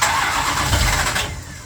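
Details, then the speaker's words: Plymouth Road Runner V8 after engine overhaul, timing heavily advanced, near operating temperature, owner mentions pre-detonation: catches and runs briefly with an uneven, lumpy beat before fading. Rough idle; owner suspects timing or carburetors, cause unconfirmed. "I ain't fighting it no more today. I got it running. What it definitely needs is more love."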